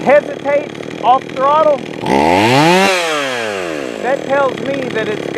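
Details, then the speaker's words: Jonsered 525 chainsaw, freshly fired up and tuned: revs up and drops back, stumbling and hesitating off throttle; low-speed mixture too lean, so more fuel is given on the low side and idle screw raised. "it's too lean on the low side so I'll give it a little bit more fuel on the low side"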